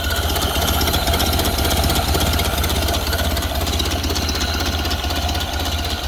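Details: Ford Model A off the road 65 years, with fresh gas and corrected ignition wiring, slightly choked: slow, even low-speed chuffing idle with no knocks or misses. Idling nicely and low, as these do; sounds good.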